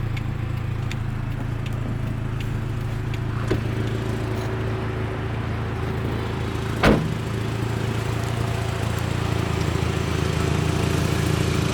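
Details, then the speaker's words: 1984 Toyota Camry DLX, first generation, under 100k miles, four-cylinder, revved with the door open: loud, raspy idle with a deep steady drone and faint ticking puffs, louder than it should be; exhaust leak. "This car doesn't have an RPM gauge, but let me keep the door open so you can hear it rev a little bit. It has an exhaust leak. It's not supposed to be that loud."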